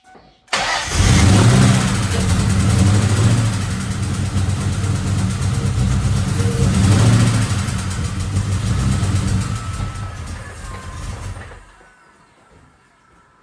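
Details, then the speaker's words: 1997 Mustang Cobra 4-valve V8 with broken valve train: cranks, catches, runs rough and barely idles for about ten seconds, then stalls; loud ticking from one side, valve springs suspected, cause not confirmed. "all right as you can see there does not run very well it doesn't even want to idle in fact it just often times just dies while it's idling but when it idles it its normal RPM uh there's definitely a loud ticking noise coming from this side"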